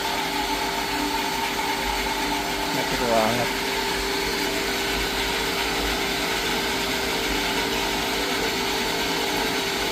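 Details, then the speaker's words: Jetmatic-system water pump with pressure tank after repair, bearing and rubber seal replaced to stop a leak, noisy before: steady, even hum with no knocking or grinding underneath; pump runs smooth and quiet. "Maganda na yung tunog niya guys. Medyo pino? Pinong-pino naangat."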